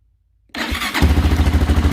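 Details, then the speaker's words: Honda XR400 single with an aftermarket electric start mod, first start in 2 years, on a jump starter and without choke: silence, a brief crank, then it catches into an even low thumping idle. Starts and runs well, smoking a little. "whoa oh be quiet i'm gonna turn that off i think runs pretty good that's smoking a little bit"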